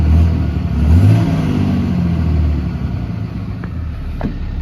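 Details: 2010 Dodge Ram 5500 turbo diesel, said to have a hard time starting and take a minute to start: deep rumble rising briefly with a rev, then settling to a steady, even, healthy idle.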